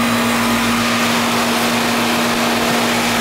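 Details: Trane AC condenser unit starting up: steady fan rush with even compressor hum, no rattles or squeals; compressor starts and runs normally, cooling well.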